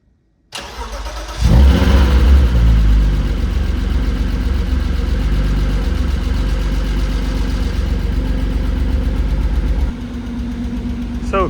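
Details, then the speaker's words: Peugeot 106 GTi project track car, stored almost 2 years, cold start on new battery: cranks and catches promptly, settles to steady low idle with faint top-end ticking, owner believes oil has drained to the bottom. "this thing has been sat here for almost 2 years, new battery, and starts right up. You might hear some ticking noises from the engine, but that's just because all the oil is probably at the bottom."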